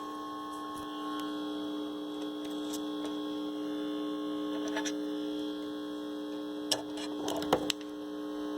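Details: Calrad (Seiko?) 7-tube AM/FM radio after new 12BE6 and 12BA6 tubes: a steady low hum and faint buzz with almost no station. Only a tiny IF signal; the FM mixer-oscillator was cold earlier and IF cans appear turned way down.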